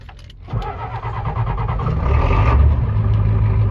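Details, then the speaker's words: 1992 Ford F-250 IDI diesel started with ether on jumper cables: catches then uneven lumpy stumbling clatter; running rough, owner suspects injectors. "There it goes. Still not running the greatest. I think it's some injectors is what we need."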